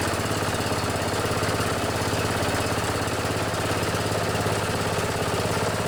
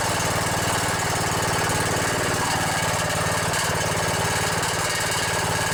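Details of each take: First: Old Murray riding mower, its flathead engine replaced with an Intech 14.5 OHV engine, runs with a steady, even single-cylinder thump at constant speed, no knocks or misses; normal running. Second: Briggs & Stratton Intech 17.5 hp single-cylinder OHV engine on a vintage riding mower: steady chug at fast idle with a light metallic buzz on the exhaust pulses; loose muffler rattling, otherwise sounds good.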